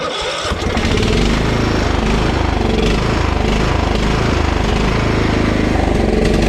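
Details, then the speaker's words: Husqvarna LT1538 mower with a Kohler CV15 single-cylinder engine surging, its speed rising and falling instead of holding. Carb cleaner briefly smooths it, pointing to a lean mixture from old ethanol fuel gumming the carburetor. "see how it kind of clears up for a second if I put too much in it don't okay okay now I still don't know if it's charging but I'm convinced that we're having a fuel issue usually hunting like that is a fuel issue"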